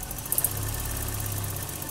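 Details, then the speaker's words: 1984 BMW 318i, M10 engine, 65,000 miles, new distributor, cap and rotor: idle surging between 600 and 800 rpm with fast, light, even clicking attributed to the ignition control module; idle control valve suspected, unconfirmed. "Hear that ignition control module clicking?"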